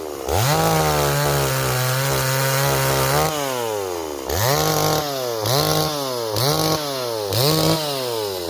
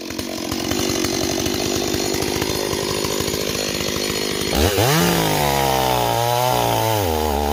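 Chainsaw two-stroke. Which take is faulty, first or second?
second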